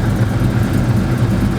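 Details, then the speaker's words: Car with a Spec Stage 2 clutch at about 1,000 miles, mic near the clutch area: a steady idle with a loose metallic clinking rattle. The clutch grips fine and the owner is unsure whether the noise is normal. Source unconfirmed. "rattling rattling pretty bad man so it's the car you got me here from out here yeah man as you guys can hear it's rattling its clinking but like I said it's not giving me no problems"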